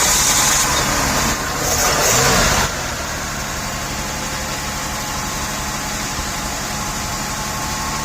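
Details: 1989 Buick Reatta after installing a new AC Delco idle control valve: engine settles into a steady fast idle around 2,300 RPM that never drops; high idle, cause not confirmed.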